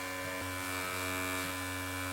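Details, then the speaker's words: Mid-2007 Core 2 Duo or late-2005 G4 Mac Mini optical drive reading a game disc: constant high whirring buzz, system vibrating across the desk; loud disc spinning, possibly poorly balanced or faulty disc, drive stalling. "the whole system is moving like vibrating itself across the desk why is that happening is this that poorly balanced"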